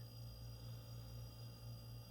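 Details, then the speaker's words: Haier mini fridge that would not cool, after replacing a part: quiet steady low hum with no clicking or cutting out; compressor now winding up and running normally. "much better sound now you can hear it winding up and actually running"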